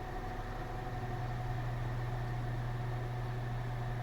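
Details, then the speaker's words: Air King Wizard Pro 20-inch wall fan on medium speed: a steady low hum with a constant thin motor whine that never changes pitch. The blade is out of balance and a bad bearing is feared; cause not confirmed. "You can hear the whining. Hopefully you can hear it. It doesn't go away. It stays like that. Normally when you hear a one motor whine like that, it's it normally means the motor's speeding up, slowing down, or something like that, but it doesn't it doesn't normally stay like that."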